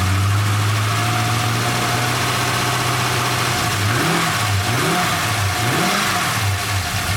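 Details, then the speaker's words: 1999 Holden R8 Clubsport, Gen III LS1 V8, second run after a cam swap with oil topped up: steady low idle, then revs swing up and down every second or so, hunting; won't hold idle, no warning lights, cause not yet worked out. "Happy days. It doesn't want to idle. Well, we'll have to work that one out."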